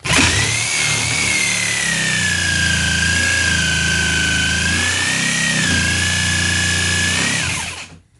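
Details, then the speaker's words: Jigsaw free-hand ripping tough, wet, knotty wood: high motor whine dips and wavers as the blade chatters and bogs from pressing too hard; operator suspects clogged teeth and wet wood. "You hear the saw bogging down? Okay, that's me pressing a little too hard."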